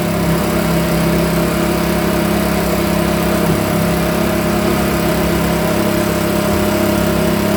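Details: Makita BHX2500 24.5cc 4-stroke leaf blower, brought in as a non-runner, quickly diagnosed and cover refitted; warm, started without choke: steady even drone with constant low pitch, no misses or knocks, running smoothly and healthy.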